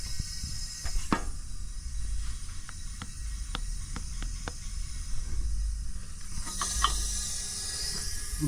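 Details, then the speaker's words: Briggs & Stratton 14.5 hp single-cylinder OHV engine on a Poulan riding mower, leak-down tested at top dead center on the compression stroke: a steady hiss with clicks as air leaks from the combustion chamber into the pushrod gallery and out the crankcase vent. Blown head gasket. "oh yep it's going from the combustion chamber it's going into this push rod Galley right there I can hear it when I put the valve cover back on it"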